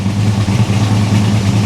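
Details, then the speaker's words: 1974 Chevy El Camino V8 after freeing stuck baling-wire throttle: heavy lumpy idle with deep uneven throb, loading up rich with smoke though running better; choke still mostly closed, loading up like the previous engine. "she is running better the choke's probably still closed mostly it is it's mostly closed"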